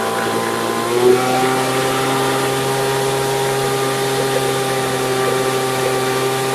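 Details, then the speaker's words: Brand-new Poulan Pro two-stroke leaf blower, warmed up, at wide-open throttle: a flat, labored buzz that bogs instead of screaming. The carburetor high-speed screw was too far open (rich), so it was closed while holding full throttle until the revs cleaned up. "You hear how when I went full throttle it started bogging out. The issue was the high auto screw was too far open, so I had to close it, and as I closed it while depressing the throttle full, it start adjusting and you hear."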